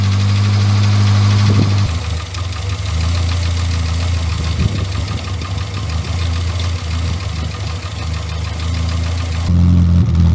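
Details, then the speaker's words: Morris Minor 1000 restarted after a long lay-up; fuel could be smelled before it fired, and it started "after a fashion". A low, steady idle thump of about four beats per second with slight unevenness; running again. "As soon as I managed to get it started after a bit of a fashion, but she's going."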